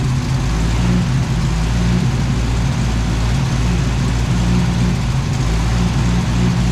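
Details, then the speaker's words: 1964 beater car after a new homemade carburetor gasket replaced a torn one: steady, smooth low rumble with even beat, no stumble or hunting, now idling on its own; normal idle. "all right that sounds much better much much better yep it idles on its own now"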